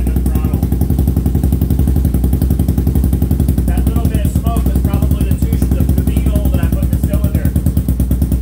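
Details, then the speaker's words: 1999 Honda 400EX single-cylinder quad rebuilt after sitting in pieces in a barn for decades, started on fuel left in the carburetor; fires right up on the first try into a quick, steady, even thumping idle with no knocks, a normal idle. "all right it runs i feel like i'm starting to get pretty good at this motor building thing that's the second one in a row that has started right up"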